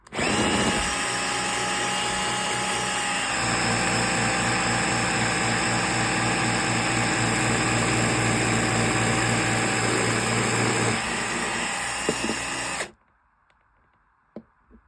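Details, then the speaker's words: Bosch GSR 12V-15 drill fitted with a new motor, running at full power with the case pressed together: the high whine drops and turns rougher, then stays low until cutoff. The motor drags and often smokes when assembled; cause unknown. "and then I'll press down on here as if it was screwed together and then watch here, smoke will come out and you'll hear the motor change."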